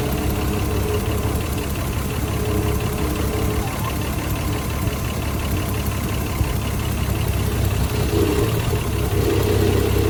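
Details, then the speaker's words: Pulled out and left to idle: idles perfect at first, then an uneven "pa-poo" stumbling beat keeps breaking the rhythm instead of a smooth tick-over. "Yeah, there it goes. It said pa-poo, pa-poo, pa-poo, pa-poo. It was running and idling perfect that first little bit, doing a stupid stutter."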